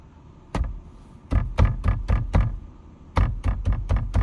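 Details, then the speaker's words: 2026 Tata Punch EV Smart Plus at its 1,000–1,500 km first service: door handle trim struck gives sharp hollow clacks in bursts; the screw head is damaged and not fully engaged in its thread, also rattling over potholes and bass. "So this sound happens when you go on a pothole, when you listen to music with bass, and this thing happens. This is expected because the screw is not yet fit, because it is not yet completely engaged inside the thread."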